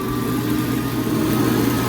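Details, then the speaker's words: Power Mac G5 2.7 GHz Dual liquid cooling pump after an attempted calibration. A constant high-pitched whir shows the pump running extremely fast, and the owner fears it will start leaking coolant. "the pump just really really sped off it goes right extremely fast and I have a feeling this this course start spraying something eventually"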